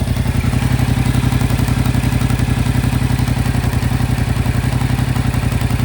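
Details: 2025 Yamaha MT-07 at 9,500 km, idling with a hard, regular clatter about four times a second over a deep throb; engine clatter of unknown origin.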